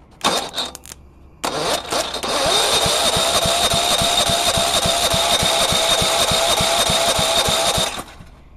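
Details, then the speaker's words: Go-kart/lawn mower with a Tecumseh 135 industrial engine; steady starter chugging about three and a half turns a second for six seconds, never catches; cranks but won't start, electrical fault or kill switch suspected, compression check planned. "cuz if it's trying and maybe something with the electrical system that's just not letting it fire"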